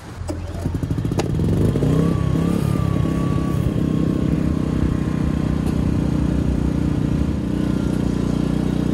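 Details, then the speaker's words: Bus RV conversion's quietened diesel generator on external fuel compared under load with an inverter generator: steady drone, the variable-RPM inverter unit rising into a faint whine while the diesel barely changes; no knocks or rattles, normal. "This, on the other hand, at worst, it just kind of loads up a little bit. I can barely tell, to be honest. You might not even be able to tell."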